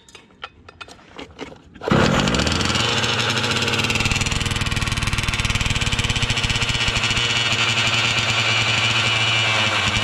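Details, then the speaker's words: Losi 5T RC car with 34cc Zenoah gas engine on a stand, choke on, pump gas: a few pull-cord tugs, then it catches and buzzes high and raspy with an uneven beat; running poorly, cause unknown. "sounded good when I bought it from boy but that is not it moment that is not it homie that's why I do not do this gas"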